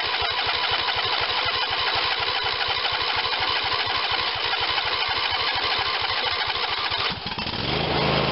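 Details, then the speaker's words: Craftsman YS4500 tractor, Briggs & Stratton 22hp OHV Intek twin, after full carburetor cleaning and reassembly, booster pack attached: steady even firing at full throttle without choke, then smooth drop in speed; normal running, choking now makes it too rich. "As you can see, we've come a long ways from where we started, where we couldn't even get the idle smooth, and at full speed it still had to have the choke out."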